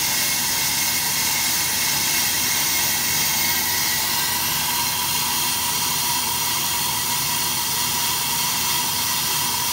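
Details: AMMCO brake lathe cutting a large, tough rotor that is unstable through one section; steady even hiss with no squeal or chatter building, the stable tooling absorbs the vibration before it becomes a secondary harmonic.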